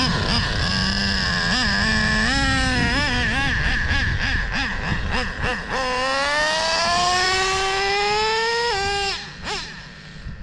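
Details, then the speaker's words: Traxxas nitro RC engine being tuned (high-speed needle set, low-speed leaned, likely running rich); small engine screams up, drops sharply on the shift, climbs again smoothly; healthy two-speed transmission shift heard for the first time. "transmission sounds good a it first time I've heard it shift"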